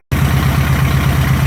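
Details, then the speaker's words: Chevy LUV 4x4 with initial timing set to 10° and the carburetor mixture screws adjusted, pulling about 18 inHg of vacuum: steady, smooth idle hunting very slightly from a cylinder bias; normal idle. "all right we got our mix screws all adjusted and we got about 18° or excuse me 18 in of vacuum and you see it hunting ever so slightly back and forth within the same area"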